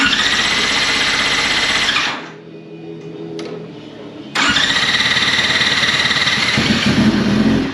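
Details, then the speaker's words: 2004 Yamaha R6 that flipped over doing a wheelie, ignition freed, temporary battery, probably low on oil: starter churns about three to four beats a second, pauses, cranks again without catching; owner suspects old gas in the line. "Yeah, that gas in the line is probably poo poo. Let's just hit it again."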